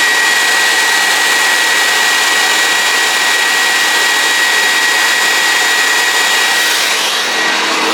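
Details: Homemade turbine paint sprayer built from vacuum cleaner motors, fans being switched on before painting: loud, even rushing roar with a steady high whistle, running smoothly at constant speed; sounds healthy.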